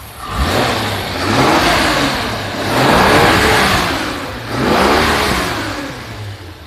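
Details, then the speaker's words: 1983 Dodge B100 van carbureted V8 blipped three times after new manifold and flange gaskets, revs rising and falling cleanly with no exhaust leak ticking, only intake air sucking. "I mean you can hear there's not a single exhaust leak all you hear is air sucking in now"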